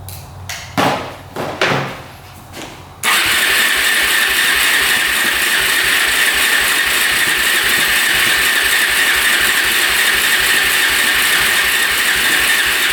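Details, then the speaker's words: 2004 Suzuki LTZ400 quad that sat 10 years, on a jumper, choke off: fast, steady starter churn at about four beats a second that never fires. Owner suspects low compression; it cranks well but won't start. "almost sounds like low compression to me it's turning over pretty fast"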